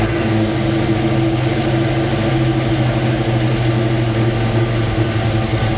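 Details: 1966 Mustang Fastback, new 347 stroker V8 with carburetor, just after first start; steady, lumpy idle with an even beat, no knocks or misses, owner says idle screws still need adjusting; normal idle.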